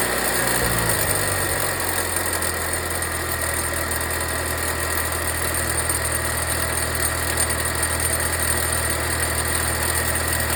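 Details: Volvo V60 B4 mild hybrid at idle: fast, loose metallic rattle over the engine note that remained after wastegate rod replacement; the turbo unit needed replacing, and after a new turbo under warranty the noise disappeared.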